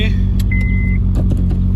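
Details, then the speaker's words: Honda Fit/Jazz with aftermarket muffler: heavy droning low rumble dominating a steady engine note; the aftermarket muffler causes the loudness. "I'm going to keep the regular muffler that's on here it's the OEM Muffler so hopefully that fixes the loudness and grossness that this car was putting out"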